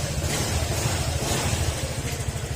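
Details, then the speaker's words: Honda Click 125 after overhaul with new block and piston, oil refilled, still in break-in: steady, even low idle with a smooth beat and no knocking or tapping; engine noise gone, engine quiet and healthy. "tahimik na uli yung kanyang makina mga sir. Nabigyan na ng aginaldo to kaya hindi na siya diyan nangangaroling."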